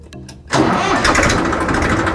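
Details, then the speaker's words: 2013 Massey Ferguson 1035 DI tractor diesel before silencer replacement: cranks and catches, then a harsh, overly loud, raspy exhaust bark from a worn silencer, to be replaced with the new thick-model silencer. "तो इसमें बहुत ही तेज आवाज आई है और आवाज भी सही नहीं है तो इसमें मोटा वाला साइलेंसर लगाएंगे"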